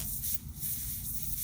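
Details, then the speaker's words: Airbrush air valve, valve stem depressed: air hisses in short bursts then cuts off repeatedly (air, nothing, air), halting in the normal trigger range; owner suspects trigger ball can't depress stem far enough. Intermittent air flow. "See how it stops? Air, nothing, air, nothing, air."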